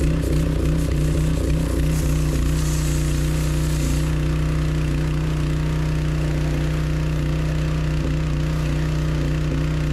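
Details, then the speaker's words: V8 with a lumpy, uneven low beat that sags and falters, then dies; engine stalled from fuel starvation, ran out of gas. "piece of [ __ ] great out of gas great"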